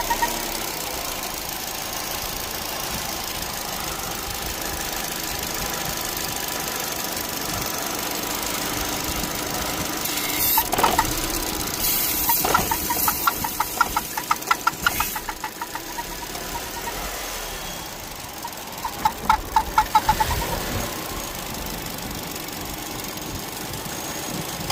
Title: Weird noise on Vauxhall meriva 1.4 only when it's warmed up. #vauxhallmeriva